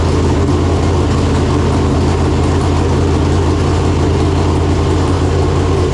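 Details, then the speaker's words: Freshly installed 568 cubic-inch big-block Chevrolet in a Chevelle with Jerico 4-speed manual, first start after install; came up to temperature well. Deep, steady rumble at warm idle, even beat, no knocks or ticks; normal idle. "Oh my god, that's so loud. Sounds pretty American to me."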